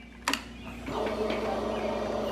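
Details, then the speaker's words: Motorcycle after a blown 30 A starter relay fuse was replaced, fuse now holding; key on to prime fuel, a click then an even, steady electric whir: normal fuel pump prime. "I'm gonna go ahead and put it to Prime fuel so let's go ahead and turn the key on again"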